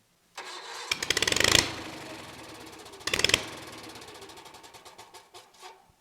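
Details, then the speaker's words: Kohler 23 hp big block twin on restart: two bursts of cranking catch briefly, then it coughs and sputters in slowing pops until it dies; owner suspects it ran out of fuel, likely auto fuel, and refills it. "More than likely auto fuel. So let me get her back filled and we'll start it up again."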